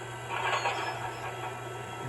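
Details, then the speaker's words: MTH Propane Turbine (20-2261-1, Proto 2.0, 2001) locomotive on track with smoke units on, after replacing the noisy rear smoke fan motor; low steady hum with soft airy rush, no rattle or whine, quiet compared with before. "look at the difference in sound there we go problem has been solved turn the Smoke on the sound it's not like it was before"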